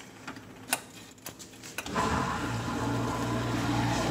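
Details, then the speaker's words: GE dishwasher after motor replacement for loud motor noise, new braided water line: a few handling clicks then smooth steady low hum; motor and pump running quietly and normally. "check for leaks sounds a lot better already"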